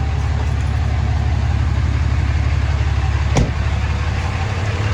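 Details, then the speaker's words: Cold Cummins diesel truck just started, in neutral with e-brake on, before an ATF level check and service: low, even clatter with steady firing pulses and no misses or knocks; a healthy, smooth idle. "Listen to that baby purr. Can't beat the sound of a Cummins. Just can't."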